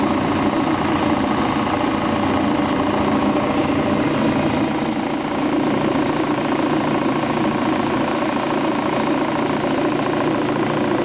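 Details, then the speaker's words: Quincy Model 325 air compressor on tank with secondhand electric motor and new single-phase starter, oil pressure 18–20 psi: steady run with even pump beat and dry rough hum from worn motor bearings. "Got that motor secondhand. The bearings don't sound the greatest in it, but hey, we're just gonna run with what we got for right now."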